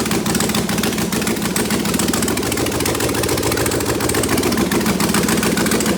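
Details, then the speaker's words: Freshly prepped Arthur04 6LDBW V8 on the stand, PCM and harness fitted, running open-loop with no headers: fires right up with a loud open-pipe bark and settles to a steady, even idle, about 36 psi oil pressure; normal start and idle. "she fires right up so um open no headers at all"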